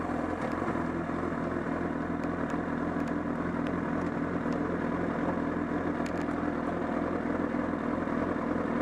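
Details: Honda CBR1000RR at Sportsland Yamanashi: loose, fast flapping clatter of about three beats a second from near the engine over the idle, grown louder with a loss of torque; abnormal engine noise, cause unknown.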